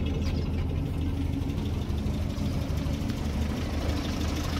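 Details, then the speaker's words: Land Rover Series IIa with a mechanical fuel pump, after wiring repairs: low, steady, even idle thrum with no misses or knocks. It starts and idles smoothly, a definite improvement. "Let's just see if this thing starts today. That's definite improvement, isn't it?"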